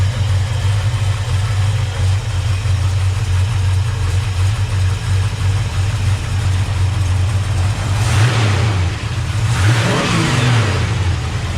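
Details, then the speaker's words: 1970 Chevrolet C10 engine at idle, hood open: steady, even low rumble with a short blip and no ticking noise; normal idle. "i'll open the hood quick let you listen to the motor at idle so you hear that there's no ticking noise"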